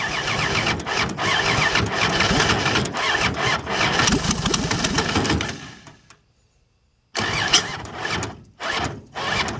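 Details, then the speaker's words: Free 239 3.9-liter V6 first start, fuel poured into carb, timing backed off after over-advance; starter churns about four beats a second with scattered pops, dies off and restarts weaker; battery running flat, needs charger. "oops i think my battery is about done i think it needs to have a some time on the charger"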